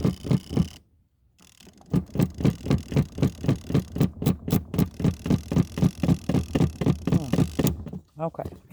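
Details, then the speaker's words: Portable spin dryer knocking: heavy regular thump about four times a second as the drum spins; a top not pushed down straight leaves the load unevenly packed and off balance; if it doesn't smooth out, reload it. "and if it doesn't smooth out, then you have to go back in. See, that's what happened. My top didn't get down in there straight. If you don't put it down in there straight, it will get off balance."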